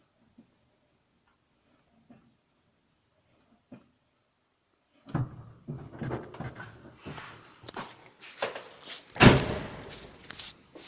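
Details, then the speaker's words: VAZ 2112, 2007, about 90,000 km, after replacing the worn standard clutch cable lever with an upgraded one to stop the fork rubbing: several clutch pedal presses give only dull clunks and rustle, no squeak. "собственно и всё сейчас нам Останется только подревателя скрипов никаких нет обслуживать данный поводок не нужно смазывать тоже"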